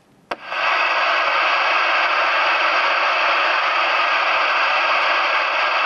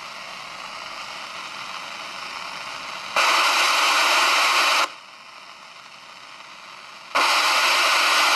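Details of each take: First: CB radio self-noise test with squelch off, full volume and antenna disconnected. A click, then a loud steady hiss with no signal: excessive receiver hiss, a "noise-box" radio. Cause unconfirmed. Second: President Harry and a forty-year-old Cobra CB radio at full volume with squelch off and antenna disconnected. Two bursts of even steady hiss with quieter hum between: ordinary normal receiver noise.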